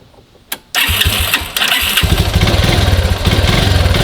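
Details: Grizzly 125 chain-driven quad unrun over six months, running on car oil: brief starter crank, then small single fires and settles into quick slightly uneven putter; starts and idles fine.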